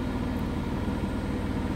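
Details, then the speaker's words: Biasi Riva HE boiler with a flashing red airflow-fault light, case off: even, heavy low rumble with a rough churning edge as the fan strains through water built up in the recuperator from a blocked condensate line, making the flame go out. "so we could hear that noise that's why we could he that noise before that was a water inside here the fan trying to blow through the C recuperator because of the water build up"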